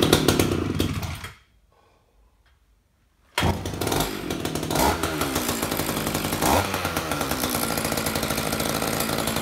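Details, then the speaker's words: Roughly 31-year-old Echo CS-550EVL chainsaw, first start after repair, choke on, bar and chain off: it fires and holds a steady, even rasp with throttle blips and no misses, and the oiler is working. Normal running. "that is a beautiful thing when you fire something up like this"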